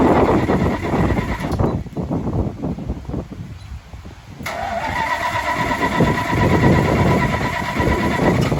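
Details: 1984 Dodge Ram with straight-pipe exhaust, hard starting: long, uneven cranking churn for about four seconds before catching into a loud open-pipe idle; cause unknown.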